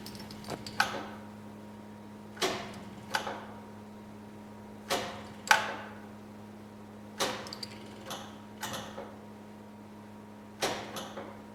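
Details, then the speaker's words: 1972 Saab Sonett: sharp clicks in pairs every couple of seconds over a steady hum; starter clicking without turning the engine. "You can hear the starter is clicking."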